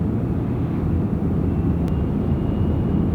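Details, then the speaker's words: Honda Odyssey automatic minivan under acceleration: faint steady high whine over road and engine rumble, judged internal to the transmission, which still shifts perfectly; slight idle rumble attributed to a stretched timing belt. "Now that is internal to the transmission. If you're a fan of GM, their old turbo hydromatics often made a little whiny noise like that as they aged, but this is still shifting perfectly fine."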